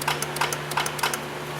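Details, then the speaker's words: Dodge Neon towed in as no-start, no-crank, no communication: with relay box under test, relay clicks about three per second over low hum and AC clutch kicks on; relay and AC clutch switching properly, power passing through. "I don't know if you guys can hear it, but you hear the clicking coming from the box, and you hear the AC clutch kick on."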